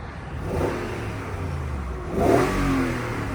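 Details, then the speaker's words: L322 Range Rover V8, bonnet up, revved to check for a vibration noise on the motorway: clean free rev rising and settling back, smooth with no knocks, rattles or misses; engine healthy. "no that's smooth as anything"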